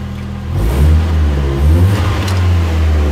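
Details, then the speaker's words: 1997 Urban Interceptor GO-4 three-wheeler, Mazda 1.3 L, automatic, after repairing injector 1 and 3 and fuel pump wiring (had run on two cylinders): clean revs, no knocks or misses, running on all four. "sounds nice no knocks no noises running on all four customer is gonna be very happy"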